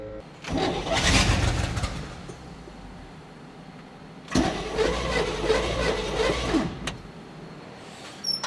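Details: 1970 Chevrolet K10 4x4 pickup, four-barrel V8, abandoned 26 years, with a fresh replacement starter after the old one proved bad: two brisk, even cranking bursts spin it strongly and nearly fire.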